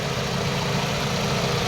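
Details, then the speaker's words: Mitsubishi CK2 with 4G15 twin-cam engine, after repair for hunting idle, idles smoothly and evenly with A/C off and fan running, no surging or rise and fall. "วางเสียงพัดลมเอานะครับช่วงที่เดินเบามันก็จะได้ประมาณนี้นะครับ"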